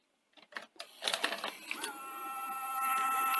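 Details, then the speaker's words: Toshiba V9600 Betamax VCR from 1982, front loading system during service; clicks, then the loading motor whines and labours, high torque, needing a nudge to load; binding mechanism with clearances that seem too tight, highest resistance at the click-over point. "see there it's struggling. Give it a nudge and it loads fine. And then the same, so high torque at this point."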